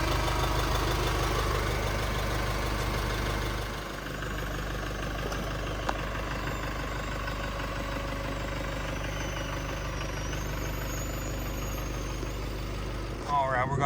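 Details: 2016 GMC Canyon/Colorado 2.8L Duramax four-cylinder diesel idling after fuel filter and oil change with the fuel system primed: steady low clatter, no misses, surging or knocks, a healthy engine.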